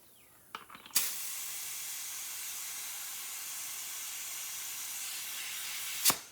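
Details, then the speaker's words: Priming a 4.8 LS engine (1955 Buick Special LS turbo build) with a garden sprayer pressurized to about 20 psi of shop air. A steady high hiss runs about five seconds between two clicks: air leaking from the sprayer's pressure release button. "leaking out this button on the side it's a release button and I don't have it right"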